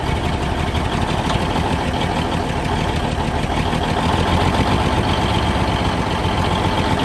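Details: 1971 Peterbilt 352 diesel, sat for a few days, idling after a cold start with a little ether: steady, even diesel clatter with a firm low rumble and no misses; healthy.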